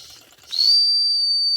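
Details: Circa-1946 electric-heated mini steam engine after repair (straightened axle, fixed wobbling flywheel, replaced missing retaining clip), heated to near 200 degrees: clean, sharp high whistle holding one steady pitch; normal steam whistle.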